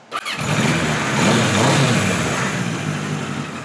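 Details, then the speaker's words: 1976 Kawasaki KZ900-A4 four-cylinder after the exhaust cam timing was corrected and two bad plugs were replaced: the starter catches, the engine fires, blips, then settles into a steady rumble with no knocking. A normal start; the carbs still need slight sync tweaking. "so there you go sounds pretty good like I said we need a little tweaking done but it's very close"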